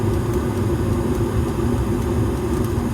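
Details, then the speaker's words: 2020 Evcon (rebranded Coleman) 65,000 BTU low-NOx gas furnace, just after igniter and gas valve ignition. A steady low rumbling roar of lit burners, very loud, with no blower yet; normal startup. "there goes the igniter gas valve ignition as you can hear the burners are on right now"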